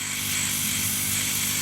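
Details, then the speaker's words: Chinese laser cutter air assist pump with the pulse limiter and jam-jar removed. Even airy hiss with a smooth motor hum and hardly any pulsing, damped by the run from 10 mm to 4 mm pipe. Normal steady airflow; no change needed. "there is not a tremendous amount of pulsing going on there so no I'm not going to change anything I'm happy with the airflow there like that"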